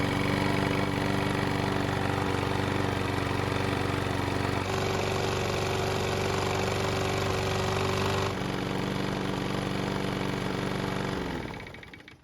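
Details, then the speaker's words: Mower engine that wouldn't start after winter, likely stale gasoline in the carb: steady, even drone with no surging or sputter, then winds down smoothly at shutoff; runs fine. "And with that bit of fresh gasoline, we were able to get it to start and it kept running."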